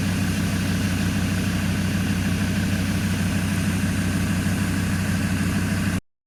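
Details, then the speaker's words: Abandoned Land Rover Discovery 2 TD5 five-cylinder diesel, first start after being found partly dismantled: smooth, even low rumble at steady idle, no knocks or misses, typical healthy TD5 sound; pulleys reportedly not turning; normal diesel idle. "But listen to that, sounds bloody good. So that is the typical TD5 sound. I'm over the moon."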